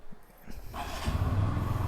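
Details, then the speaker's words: Fuel-injected motorcycle, cold start after about 16-17 hours sitting: cranks, catches, settles at fast idle around 2500 rpm, ECU automatically lowering toward 2000; normal FI cold start high idle. "দেখেন আমি start দেয়ার সাথে সাথে এটাই হচ্ছে FI এর বৈশিষ্ট্য। FI বাইকের এটা অটোই হয়। শুরুতে আমার বাইকের স্টার্ট কিন্তু 2.5 আরপিএম এ চলে গেছিল।"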